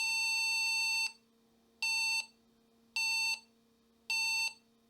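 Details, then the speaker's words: Olivetti M300-30/P, Intel 80486DX2 50 MHz Overdrive, motherboard cracked and bent from a drop: a steady high beep repeats about once a second, a POST error code with no picture on the monitor. The VGA is suspected, memory likely working; cause not confirmed. "But besides the VGA and the beeping, this board is actually working."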